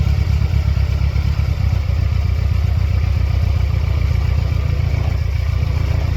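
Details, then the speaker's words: 1999 Mercedes-Benz C230 Kompressor (W202), flashing check engine light, mass airflow sensor unplugged: heavy, low, unsteady idle with irregular shaking pulses and no clean rhythm; it runs rough and is struggling to stay running before stalling. "Shaky. Stall out though. It's not doing good."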